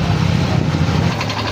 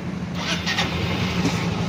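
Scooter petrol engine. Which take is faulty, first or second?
first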